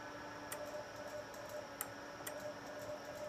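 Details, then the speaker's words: Ameritron ALS-1300 solid-state HF amp (older non-SMD RF boards) modified with Gigavac GH3 vacuum relays (~6 ms), full power into Bird dummy load, K3 semi break-in (not QSK) at 41 wpm; crisp irregular relay clicks over steady fan hum, normal operation. "and I'm not on qsk I don't know if you can hear the can you hear the initial relays come up that's that's semi breing at 41 words a minute"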